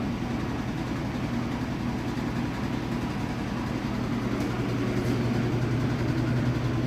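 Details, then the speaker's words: Washing machine on spin cycle before fitting antivibration pads: steady low hum and rumble building as drum speeds up, cabinet vibrating noticeably. "and see as the outcomes go up doesn't you start to really hear the vibration it's not too particularly bad considering that there are downstairs neighbors who want alleviate as much of that as possible"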